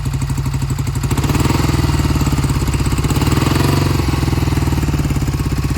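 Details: 1971 Triumph T120 650cc twin, cold start after long storage: uneven beat, left cylinder cutting in and out and never coming in consistently; owner says it recovers when warm, not confirmed; intermittent misfire, pilot jets suspected clogged.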